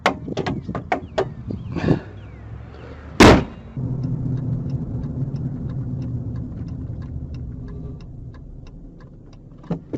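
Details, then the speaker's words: 2007 Ford Ranger 3.0L after cleaning the mass airflow sensor and idle air control valve: after a clunk, steady even idle with no dipping or stuttering when coming to a stop. "And the idle's no longer dipping and stuttering when I come to a stop."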